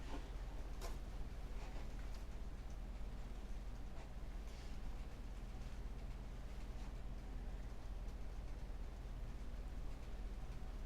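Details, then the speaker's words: Carbureted motorcycle after idle adjustment screw correction (it previously revved high and was slow to come down): steady, even low idle, and a quick blip settles straight back down; normal idle. "actually like idles at a proper idle. It comes back down when I rev it."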